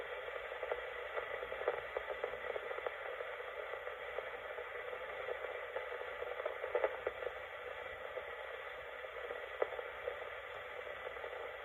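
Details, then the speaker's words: c1965 Lloyds TP588 reel-to-reel recorder, amplifier not yet recapped, recording level turned down: a constant mid-to-high hiss with no tone or rhythm is recorded onto the tape. The amplifier adds noise; the old capacitors are suspected. "Okay, so there is noise in the amplifier, as you can hear it just going on to the tape."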